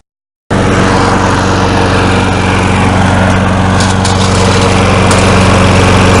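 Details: Curb-found Snapper SPX mower, reported to have no compression and found with no oil, started up: loud, uneven, lumpy chugging at fast idle with oil coming out of the carburetor and smoke. Rough running from a scored, low-compression cylinder.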